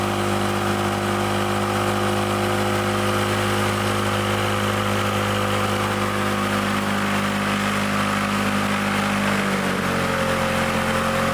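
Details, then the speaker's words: Old Lawn-Boy Loafer rider, front mower two-stroke, after needle-and-seat fix and mixture screw set about one and a half turns: steady even drone holding one pitch, easing slightly lower near the end; running smoothly, though the kill wire does not work. "cuz I hook the kill wire back up but it runs we got running didn't need much"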